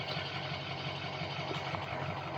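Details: Diesel idling with a low uneven pulse that drifts and hunts, after codes P0470 and P0299 returned; the VGT reading varies, desired 2.4, and a bad exhaust back pressure sensor is suspected.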